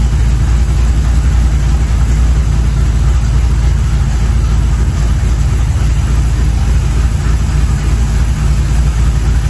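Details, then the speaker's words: 1983 Chevrolet C10 square body with a 350 motorhome engine built from used performance parts, Edelbrock Performer RPM cam, after swapping the Quadrajet for a Holley 750 4150 carburetor leaned half a turn per screw for best vacuum: deep, even, loping V8 idle, snappy and healthy. "let me tell you guys this is a night and day difference this engine is Snappy like it's oh it it sounds good feels good"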